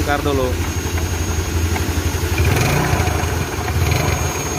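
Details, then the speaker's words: Yamaha Mio Sporty scooter with rough CVT: uneven ticking rattle over idle from the belt drive side; owner suspects pulley, rollers or clutch, and the clutch appears to be a non-original part. "Oke, kali ini kita punya Mio, yang mengeluarkan suara berderak, suara berisik."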